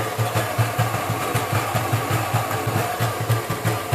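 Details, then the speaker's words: Kenwood Chef mixer after repair of burnt-out fault, reassembled: motor hums steadily with quick, even rattle about five beats a second, the insecure speed knob buzzing and moving around against the housing; machine works. "The whole knob is moving around."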